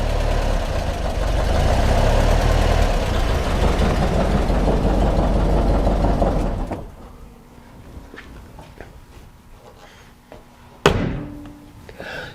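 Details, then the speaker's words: 1955 Porsche 356 Pre-A Speedster air-cooled flat four, stone cold: slightly uneven, lumpy idle, then shuts off; mostly smooth but not completely, carbs need attention. "how does it sound as it sounds smooth for the most part I mean it's stone cold of course doesn't sound too bad they're completely smooth though I think we can we can work on that"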